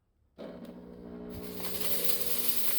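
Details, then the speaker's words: Reassembled fog machine, unused about 20 years, cleaned with vinegar and filled with fluid: after silence the pump starts with a rough, rattling buzz and hiss that slowly builds. It works but still sounds jammed. "You can still hear how jammed up it's been, but it's a-working. That is awesome."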